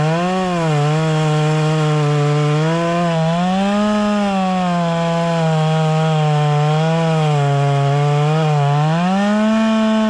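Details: Proyard 450 two-stroke chainsaw after repair, cutting wood: strong, clean buzz that dips steadily under load and recovers without stumbling; saw runs and cuts normally.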